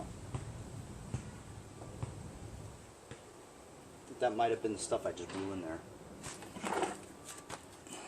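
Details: Curbside-trash Homelite 25cc two-stroke gas leaf blower on two-cycle mix, spark and fuel confirmed: quick pull-cord rattles, no pop or catch, engine spins too freely; no compression from scored piston found at teardown, zero signs of starting.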